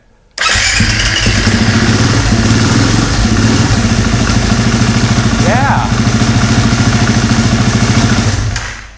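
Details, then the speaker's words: KTM single-cylinder dirt bike after replacing a failed timing chain tensioner: starts right up and settles into a steady, even idle, quiet from startup with no ticking, before oil pressure even builds. "it didn't even have to build up pressure the oil pressure it was quiet right from the start so that definitely took care of the problem"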